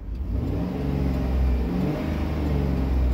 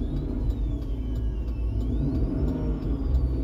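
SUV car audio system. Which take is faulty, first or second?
second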